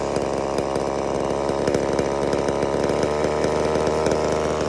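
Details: Homelite Super Mini two-stroke chainsaw, customer saw that wouldn't run, rev or idle, after an adjustment of about a turn and a half: holds a steady high scream through the cut in a big log, no bogging; normal cutting under load.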